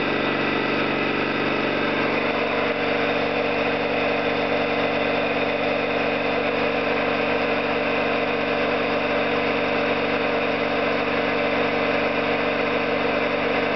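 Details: Orlík 2 JSK 75-2 compressor at one of its first starts after rebuild (valves, seals), motor provisionally started in star due to the house breaker; constant even drone with steady pumping rhythm, no knocking or squeal; normal running.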